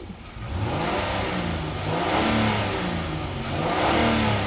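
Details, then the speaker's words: 2018 Honda Odyssey, pre-purchase inspection, recorded under the hood while revved: smooth clean rise and fall in pitch, no knocks or ticks; normal engine revving. "Here's what it sounds like under the hood. Sounds normal."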